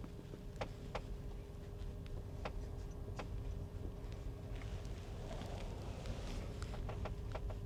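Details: 2023 Tesla Model X Plaid at about 10,000 miles, recorded in cabin with vents and AC off during slow turns: sharp irregular clicks over road hum and faint motor tone; recurring issue also on their previous Model X, source unconfirmed.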